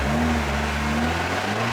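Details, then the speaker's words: Honda D16 D-series transmission upgraded with MFactory LSD, first run after cold start and warm-up, running through gears: steady engine drone, even gear tones climbing smoothly, no whine, grind or clunk; gearbox healthy. "Cool. Alrighty. All sounds good."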